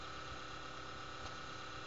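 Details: Computer at morning startup: steady coarse buzz with thin whistle for five to ten minutes, caused by a failing 80 mm case fan; replacing the fan stopped the buzzing.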